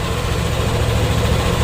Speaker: dalam kondisi baik tidak ada kebisingan di bagian CVT teman-teman